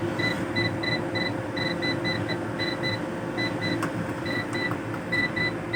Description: What could be the problem? The UPS is making a continuous tone alarm sound.